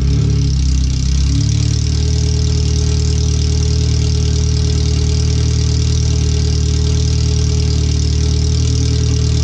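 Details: First startup after replacing the header and fuel filter and relocating the O2 sensors and wiring; open header with nothing behind it. Very loud, raw, deep idle with a steady low drone and slightly lumpy pulses. The computer reads 5–7% rich.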